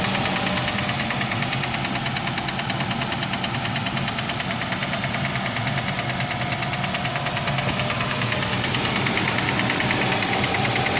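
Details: Nissan X-Trail T32 2.5, 11 months old, 5,000 km: steady, hard knock about three times a second at idle from the bottom end; rod knock, repaired by engine overhaul replacing connecting rod and bearings.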